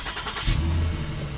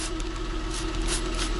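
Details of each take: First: 2009 Lincoln MKS, before sealing with exhaust putty/tape: throttle blip rises to a loud, deep, raspy rumble, sounding almost like a Mustang; exhaust leak. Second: 2009 Lincoln MKS at idle after sealing a large rust hole in the exhaust with high-heat epoxy putty; even, low steady idle, no puffing or ticking, a few light soapy-water spray hisses; leak fixed.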